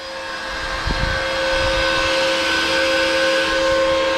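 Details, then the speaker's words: Bitcoin miner at about 600-650 watts, fans ramping with temperature, around 77 decibels: loud steady rushing whoosh with constant high whine, rising slightly then holding; fans at high speed working normally. "They're ramping up and down depending on the temperature. See, now it goes down. 77 decibel of this noise."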